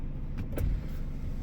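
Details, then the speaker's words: Power window after simple reset fix restoring auto up/down: brief steady smooth motor hum as glass rises without holding the switch; normal one-touch auto up. "Yep. And as you can see, I'm not pressing the button."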